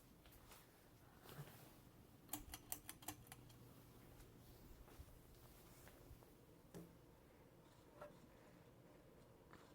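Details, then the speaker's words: Emerson 1895 Series 42" ceiling fan, made January 1984, KB55 motor, on medium/high: low steady hum with scattered light ticking and clicking from worn bearings pressed onto the flywheel. "as you can hear it has bearing noise very good amount of air on medium"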